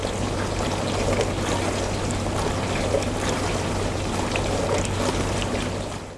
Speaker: During a wash cycle, you'll hear the circulation pump.